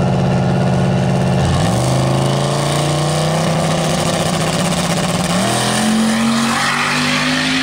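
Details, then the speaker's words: Turbocharged drag car on test pass to the eighth mile with O2 sensor now working: engine note climbs steadily through two quick shifts at full throttle, even and clean with no stumble, no longer breaking up; healthy pull. "does that sound so much better it sounds a lot happier it doesn't sound like it's running like thirty pounds of boost the whole way"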